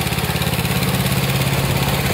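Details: Old Snapper rear-engine rider, 28-inch deck, 10 hp Briggs & Stratton with newer carburetor: steady, even low thump with regular firing pulse, no misses or knocks; runs well.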